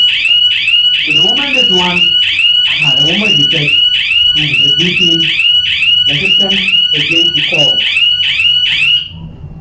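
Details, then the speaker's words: Homemade fire alarm triggered by a simulated fire reading above the 140 threshold: loud high-pitched warbling siren at about two cycles a second, then cuts off; the alarm works as it should. "okay and the call is coming fire alarm guys look it's gone"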